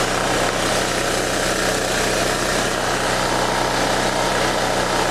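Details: Wen Power Pro 3500 W generator, revived after sitting 15+ years, running about 122 V after voltage adjustment: even, constant engine drone under a steady hum with no stumbling or speed swings, running normally.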